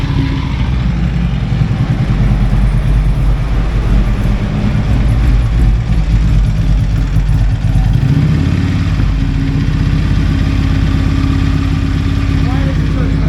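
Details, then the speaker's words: Harley-Davidson on a shop dyno in Kingman, Arizona, owner chasing a clunking noise: V-twin pulling hard under load with a deep rough growl beneath the exhaust beat. Worn transmission bearings growling. "when I went to that Far Side you could hear those bearings growling in there"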